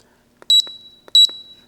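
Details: Hisense dehumidifier found in the trash, showing an E9 error even after a new sensor was tested. Two sharp, high beep pairs about two-thirds of a second apart as the unit cuts out; owner suspects a plugged water path. Error alarm beeping.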